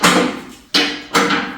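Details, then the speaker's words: Budget imported 2-post car lift, self-installed and unloaded: three sharp metallic clunks about half a second apart as it starts rising, each safety latch dropping into its slot and relocking automatically; normal engagement. "You don't have to remember to pull that latch again to lock it back in place. As soon as I start lifting it up again, it locks"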